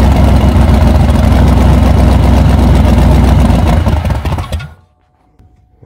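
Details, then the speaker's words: 1994 Chevy C1500 Silverado 4x4 small-block V8, fuel tank near empty: steady cranking churn about four beats a second that never fires; fuel filter dry, owner suspects bad fuel pump or too little gas. "I'd say I don't think it's pumping anything nope filter is fully dry it might not have enough gas in it to pick up"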